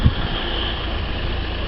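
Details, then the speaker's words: Saab 9-3 just after starting: short stretch of low, steady idle, even hum, no knocks or ticks; engine sounds healthy. "sounds I mean I'm not mechanic SL caravans but it sounds absolutely spot-on"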